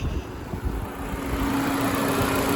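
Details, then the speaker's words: 2016 Nissan Versa SV after radiator fan assembly replacement (fuse, relay, coolant temp sensor changed first), AC on, parked at 90°F: steady whoosh spinning up smoothly over the engine; normal radiator fan operation. "There it is, it's turned on."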